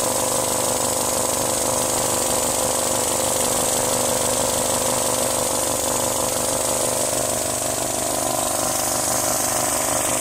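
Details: Mazdaspeed Protege engine idling steadily under a loud, hissy, buzzing layer of unidentified weird engine noise that never lets up.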